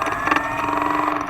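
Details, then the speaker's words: RC model aircraft motor before flight: steady high whine with a rough, gritty edge, a noise not present on the bench; owner suspects a shot bearing, abnormal motor noise, cause unconfirmed. "all right i may have a shot bearing we'll see i hope i don't lose a whole damn thing in flight"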